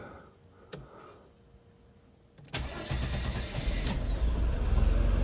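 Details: 1992 Mercedes W124 300 cold start after adjusting the duty cycle because it ran rich, for a hard-start complaint after sitting hours at work: brief crank, catches at once, then a steady, even idle.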